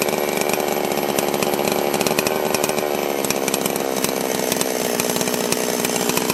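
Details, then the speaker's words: Holzfforma G660 Pro chainsaw after a timing advance: high-revving buzz through a cut, with sharp popping and crackling as revs drop off throttle on deceleration. "you hear how it's kind of popping and crack crackling as it's coming back down"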